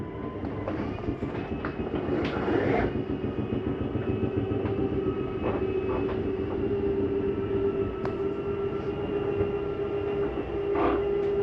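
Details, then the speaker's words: 2024 Jayfeather 27BHB travel trailer slide-out retracting: steady motor drone with light clicks, brief strain as the slide reaches fully in, the mechanism signalling it is in; normal operation. "You hear the little noise as it gets all the way in. That's the slide mechanism saying I'm already in."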